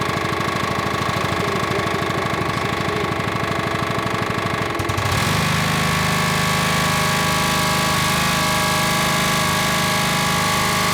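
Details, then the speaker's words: Rol-Air air nailer compressor with Honda GX120 engine, well worn, before service, one air connector off: steady rapid knocking about three beats a second under engine drone, changing as max pressure is reached and the throttle pulls back; pump suspected. "that must be the pump making that noise but you can see this came out and pulled the throttle back um this is basically the the reset when it hits MAX Pressure"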